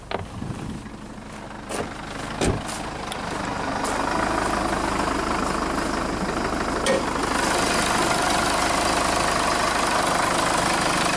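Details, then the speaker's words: 2005 Jeep Liberty CRD diesel, 171,000 miles, losing power with no turbo boost, P0105 MAP/boost sensor code, new MAP sensor didn't help: harsh clatter at idle about three knocks per second, sounding like a tractor; cause undetermined. "so customer complaint sounds like a kubota tractor"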